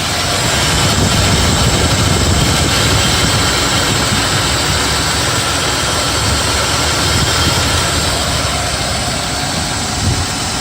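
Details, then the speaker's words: BMW E34 with M50 engine, idling after the belt tensioner mechanism and tensioner rollers were replaced: steady, even hum with no cricket-like chirp from the belt drive. The noise is gone and the engine runs smoothly. "машина даем как слышите звук пропал мотор работает как часы"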